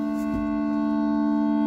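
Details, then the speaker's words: 1980 Bally Skateball pinball machine during game start: sound effects play, but the last note holds as a steady musical drone that never decays. Stuck sustained sound note, cause unknown, sound board possibly previously serviced. "we got some sound effects and we got but that last note doesn't end you can just hear it"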